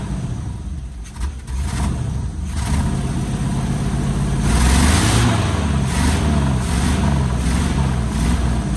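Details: 1973 Chevy K5 Blazer 350 V8 just started after sitting about 30 years, packed with rat debris: an uneven, lumpy rumble with surging revs and sputters as it spits out junk and burns acetone off the manifolds; idle later settles.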